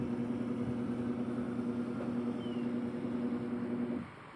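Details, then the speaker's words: Camel washing machine that was noisy while spinning, after the gearbox was repaired, running on setting one: a steady, even motor hum for about four seconds with no knocking or grinding, then it cuts off; the agitator now swings normally. "ayan maayos na maayos na yung kanyang pags Tingan natin dito sa kabila pagbalik kasi diyan yun Medyo Ayan kung nakikita niyo ay okay na okay na sa allright"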